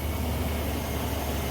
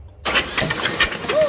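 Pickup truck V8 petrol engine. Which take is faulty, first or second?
second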